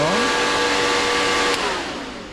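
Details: MGB 18V engine test stand electric cooling fan tested via its own switch before engine is run; steady whirring hum with clear motor tone, spooling up then easing off when switched; fan runs fine.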